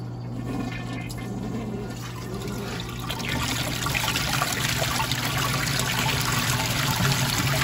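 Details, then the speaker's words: 1986 American Standard Cadet toilet, pipe view, not connected to a real drain: water rushes steadily, then rising gurgle and slurp as makeup air enters the trapway pipe; normal siphon break at end of flush. "now notice how you can hear that siphon breaking in the pipe now this was connected to an actual drain system this would be siphoning continue like a lot"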